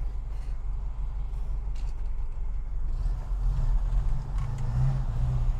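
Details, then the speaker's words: 1991 Moskvitch IZH 412 sedan, carbureted, idling warm with deep steady even rumble, no knocks, ticks or misses; normal idle. "engine sounds spectacular"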